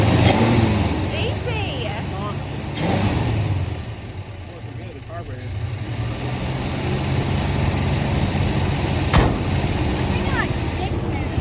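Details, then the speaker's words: 1973 Ford F100 302 Windsor V8, 3-speed manual, first start after sitting 16 years: idle hangs up high and uneven, revs drop back slowly after a throttle blip like a sticking spot; owner suspects the fuel pump, checks the accelerator pump. "like a sticking spot it wants to isle up real high and if you if you blip the crawl it goes back but it kind of hangs up"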